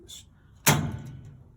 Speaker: you hear that noise now the door will open and close it by hand so when the power comes back on or you find your remote or fix it then you can reconnect this